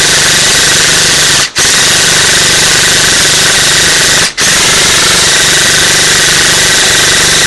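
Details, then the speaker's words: Echo1 Troy airsoft gearbox after installing a 16:1 speed gear set, reshimmed to one shim, stock motor, brick LiPo: long full-auto bursts, fast and even with no high pitch or grinding. The gearbox cycles normally. "sounds good don't hear high pitch or anything very nice trigger spots too"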